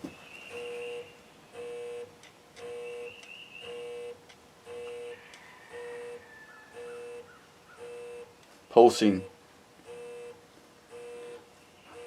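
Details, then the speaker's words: Lee lead melting pot with PID controller set at 745°, lead melted and fluxed, holding 743–745 within a few degrees: steady hum pulsing on and off about once a second, controller cycling the heater to hold temperature normally. "I'm pretty sure you can probably hear that hum hum hum hum hum so it's turning the pot on and off on and off to steady hold this temperature which is doing a wonderful job"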